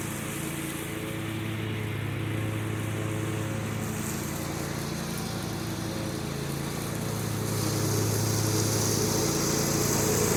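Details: John Deere 345 with Kawasaki FD611V V-twin at about 490 hours, after revival repairs and a fuel filter change. Smooth, steady drone under mowing load, even beat with no knocking or hunting; runs smooth and uses no oil.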